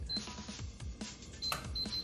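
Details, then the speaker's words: BlackSmith 0.8 cu ft biometric home safe: short high beeps on each keypad press entering the code, then a sharp click as the bolt releases and the safe opens normally, over background music. "and you could probably hear the click open and there we go"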